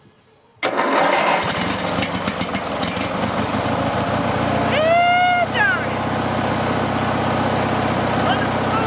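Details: Riding lawn mower after fuel and electrical repairs, started with choke on and a slightly weak battery: after a short crank it catches at once and settles into a steady, even run with no misses or stumbles; sounds healthy.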